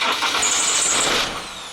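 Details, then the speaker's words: Ford Transit diesel that starts and then cuts off every time: a short rough burst that dies within about a second. Owner suspects glow plugs if cold, air in the fuel, or the ignition switch; not confirmed. "just won't won't won't stay started now there's a few issues that that could be if it's cold it could be the glow plugs it could have air in your fuel"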